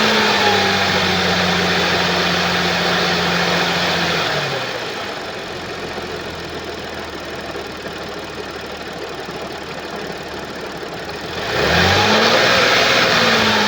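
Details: 2013 Audi S4 B8, 3.0 petrol CGWC engine, 245 kW, 188,866 km: harsh metallic clatter over the idle, stops at shutdown and returns on restart; abnormal rattle stated to come from a skipped timing chain.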